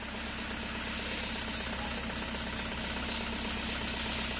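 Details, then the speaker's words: Toyota Hiace 2KD diesel that has lost power, starts hard, shakes and stalls when the throttle is released: idle with an uneven, hissy beat near four per second while one injector is cut; idle roughens but shows little change and keeps shaking. "Nah itu udah off kan diatas kan kita matikan injektornya Nah gak begitu ada pengaruh tetap goyang dia"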